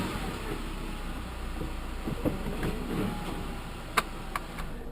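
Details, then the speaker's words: 2012 Jeep Compass, driver's side front corner: sharp single clunks over bumps above steady road rumble, radio off while driving; worn front control arm, fixed by replacing the driver's side control arm. "anyways, the deal is there's a clunking noise in this front corner. Clunking noise in this front corner. Hidden bumps."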